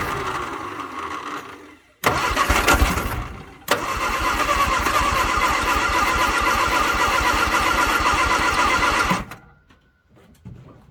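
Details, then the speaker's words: 1962 Vauxhall Victor sitting 25 years, on jump battery with rebuilt but weak starter: two stretches of slow, laboured cranking about two and a half beats per second, no firing; cranks but won't start, owner suspects fuel and carb issues. "be out of gas but it's trying it is definitely trying and the start you might hear the starters really weak"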